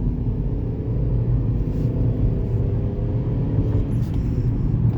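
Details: Chevy Equinox at steady speed after repair: low, even road rumble with no grinding or rhythmic growl; hubs sound healthy. Before repair it ground loudly and ABS, traction and AWD-off lights came on around 20 mph; owner suspected the hub sensor magnets.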